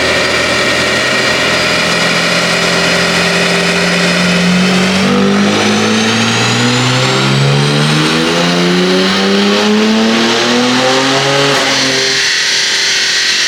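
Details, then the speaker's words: G87 BMW M2 with CSF intake manifold, heat exchanger, ID1050x injectors, Visconti fuel pump and port injection, on the dyno: engine pulls steadily at wide-open throttle, then falters and the pull cuts off early; hesitation under full throttle. "weird hesitation happening yeah you can actually hear it you can hear it yep"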